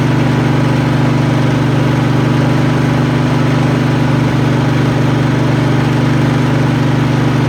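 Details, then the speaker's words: Craftsman riding mower, Kohler Command engine, after carburetor change and new fuel hose: low steady idle on primed fuel, no stumble yet; tank full but fuel pump not pumping fuel through. "Okay, like I said, no fuel going through there. Tank's full. Alright, so we got an issue in the fuel pump. It ain't pumping."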